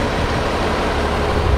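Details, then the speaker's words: 1961 Ford Falcon six-cylinder after tune-up, carb rebuild and valve lash set to 0.018 in cold: steady, even, smooth idle with no valvetrain ticking; engine sounds healthy. "I don't know if this has got a sound to you guys through the camera but it it just just purrs like a kitten I mean it just runs very smooth now"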